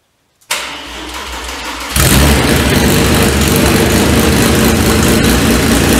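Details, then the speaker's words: Renault 5 Maxi replica with Audi engine, first start, temporary wiring and water pump, open exhaust: brief crank, then loud steady idle, no misses, knocks or leaks; healthy first start. "Et là je suis en échappement libre. Donc forcément elle fait du bruit hein. Tout est nickel, il n'y a pas de fuite."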